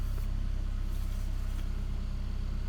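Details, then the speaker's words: 2002 Saab 9-3 SE after head gasket replacement, idling about 900 rpm: low, heavy, slightly uneven wavering idle; bogs down and stalls when throttle is pressed, lights dim; rough idle, cause not yet found. "about 900 so give it a little bit of gas it's trying to bog down when i give a gas i just gave it gas and it's bogging down died out"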